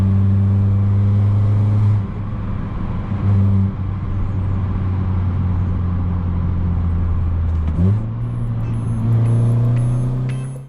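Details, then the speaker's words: Modified 250 bhp Abarth 595 Competizione, turbocharged, accelerating up through the gears under boost: rough puffing blow over the engine note; leaking gasket between exhaust manifold and turbo, losing acceleration. "as you can hear on the way back up the gasket between the bottom of the manifold and the turbo is clearly leaking and that's where that noise was coming from"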